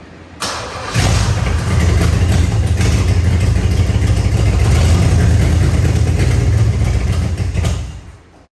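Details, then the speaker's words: Third-gen Camaro Z28, 305 H.O. V8, after fuel system overhaul: cranks, catches and runs roughly a few seconds on fuel poured into the carburetor, then dies. Gravity feed line not delivering fuel. "So, it's clearly starting. It clearly seems like a fuel delivery issue when I'm able to get it to start and run for any decent amount of time."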